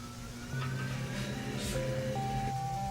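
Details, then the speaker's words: Rinnai R94LSi tankless water heater running very loudly before exhaust fan replacement: loud droning hum with steady tones shifting pitch as the blower runs, pointing to a failing exhaust fan. "today we're working on a rinnai r94 ls water heater as you can hear it's running very loudly"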